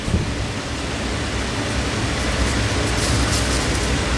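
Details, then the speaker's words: Galaxy/Lasko 2154 9-inch oscillating desk fan on high speed after cleaning, servicing and balancing (about 94% balanced): steady rush of air with even low hum, no ticking, scraping or wobble; quiet, healthy, normal running. "That is whipping the air out. And you know what? These are really quiet, so that's one of the things I like about these."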